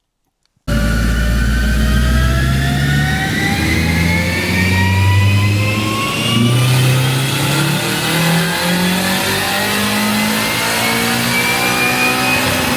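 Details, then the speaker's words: Turbo Honda Civic on dyno, boost somewhat high (about 1 bar minimum), compressions 12.5-13: engine pulls hard with rising pitch, then turns uneven and lumpy partway up as one cylinder drops out; suspected failed ignition coil. "Ühesõnaga, nüüd on vaja hakata vaatama, kas mõni süütepool äkki andis otsad reis."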